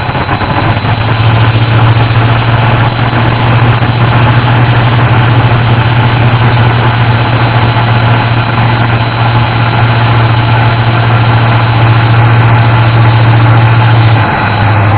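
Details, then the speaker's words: 1988 Ford F-150 idling after retiming the distributor and replacing the broken ignition module on its side: smooth, even idle with no skips or misses; the miss appears fixed, test drive still pending. "it doesn't sound like it's missing anymore so it sounds like that ignition module on the side of the distributor fixed it fixed our problem"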